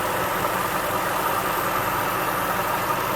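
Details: 2005 Jaguar S-Type R idling with LTFT +18, stumbling with a flashing MIL at 1,500 rpm like a lean misfire: steady airy hiss over the low engine hum. Vacuum leak suspected, not confirmed.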